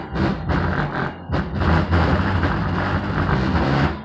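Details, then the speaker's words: 2004 Acura TL with music playing: each bass hit sets off a buzzy rattle from the trunk lid, which was never lined with Dynamat, before treating it with Dynamat. "all right so as you can see with my music playing you hear all the trunk rattling doesn't sound good at all when the base hit the way it blows the sound just sound more quiet"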